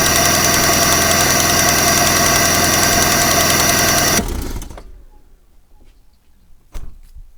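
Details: 1995 Vauxhall Cavalier MK3 X20XEV at idle after a new auxiliary belt and tensioner: steady rapid light ticking, about three or four a second; owner suspects the timing belt pulley or tensioner, cause unconfirmed.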